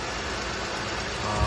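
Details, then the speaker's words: 2011 Buick Lucerne 3.9 L V6 idling after start-up during a PCV system check, PCV valve installed in the valve cover, no oil leaks: steady low hum with some hiss, no misses or surging; normal idle. "okay so I've got it running uh sounds like it's idling pretty"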